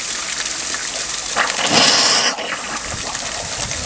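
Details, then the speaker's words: Overtype steam engine boiler at its first steam-up in 30 years: the injector primes with a hissing gush of steam and water that surges and drops off but fails to feed. Not enough steam pressure is suspected; the Metropolitan injector then worked. "Might not have enough steam. Yeah, you don't have enough steam. Yeah, not enough steam pressure."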